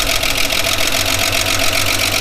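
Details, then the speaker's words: 1979 Holden HZ one-tonner ute, parked outside for years, started after resetting the points gap: the old six settles into a steady, even idle with a regular beat, nice even compression, no misses or knocks. Normal idle. "pretty good test he works he runs doesn't sound too bad"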